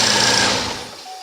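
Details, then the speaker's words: 2008 Saturn Vue petrol after replacing the throttle body, which had caused a grinding noise every time the key was turned off: the engine hums briefly, then shuts down cleanly with no grinding. "no more grinding that's it looks good"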